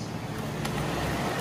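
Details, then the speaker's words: Yamaha Mio Sporty scooter engine run warm: it starts easily and runs smoothly with a steady low note and no tapping. It is hard to start when cold, which the mechanic says often comes from the valves. "Kalau mesin panas hidupnya enak bro ya. Suara mesin masih halus, belum ada kendala."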